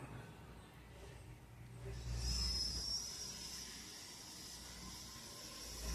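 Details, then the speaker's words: Empty 5-litre pressure cooker after repair with a new rubber gasket, recorded with the camera a little distant: soft steady hiss starts after two seconds and holds as pressure builds; valve venting normally. "এটা হ্যাঁ হালকা হালকা কিন্তু স্টিমের আওয়াজ আসছে, আপনারা কি শুনতে পাচ্ছেন বন্ধুরা?"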